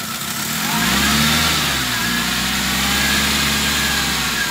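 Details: 2008 Suzuki Grand Nomade, J20A engine, with unstable idle: the idle note jumps up and steadies when fuel is sprayed on the intake area, pointing to a vacuum leak at the intake manifold.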